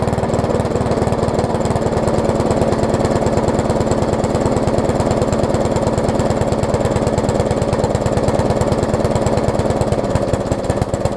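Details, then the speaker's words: Discarded Craftsman walk-behind mower with Briggs engine, before carb diaphragm replacement; lumpy uneven chugging about three beats a second that never settles; runs rough, owner suspects running rich needing a carb diaphragm. "It actually runs as is, but it sounds like it's running really rich, so I probably have to put a carb diaphragm in it, which is to be expected"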